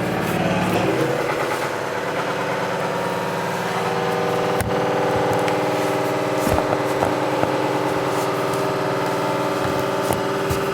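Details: Washing machine during spin sounding like a diesel engine: loud deep rumble with rattling vibration; broken drum bearing found after new shock absorbers did not help.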